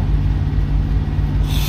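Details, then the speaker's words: Diesel truck with newly installed fuel filter primer housing: steady low rumble, then a short sharp hiss as the primer is pumped, with air and fuel escaping from the primer handle; owner suspects the new primer housing has failed. "I'm trying to prime it and you can hear like air and like fuel kind of like sounds like it's coming out of the handle there's definitely fuel coming out of that primer handle"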